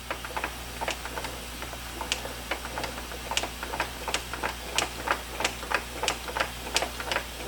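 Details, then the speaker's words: 1986 Mustang GT T5 transmission on a bench, turned back and forth by hand in first gear: irregular light clicks at one spot, the same sound heard in reverse on jack stands. A chipped gear tooth is suspected, not confirmed. "I hear that small clicking here like there's a certain point turning the transmission backwards and forwards right on any gear spot so I'm guessing that sound right there is probably a chipped tooth and one of the gears"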